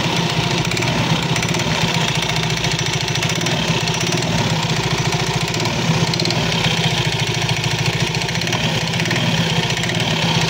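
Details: Soul GT 115 scooter idling: fast uneven clattering knock from the CVT, steady throughout; CVT clatter, usually from looseness or wear of certain parts, not yet confirmed.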